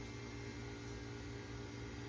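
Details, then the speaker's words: 1991 Tandy CDR-1000 (Mitsumi CRMC-LU005S) CD-ROM drive spinning a disc and trying to read: steady hum with fast flutter and rough mechanical noise, briefly hung up; better than before, cause unclear. "making noises. I don't know. I mean, it's better than it was."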